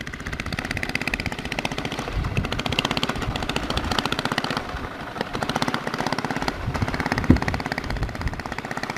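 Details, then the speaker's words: Old worn 2 hp Briggs & Stratton engine swapped into a Baja Dirt Bug in place of the China engine with a bad crank seal, straight exhaust: sharp rapid popping rising and falling with throttle; runs healthy. "sounds really good with that straight to exhaust yeah she goes"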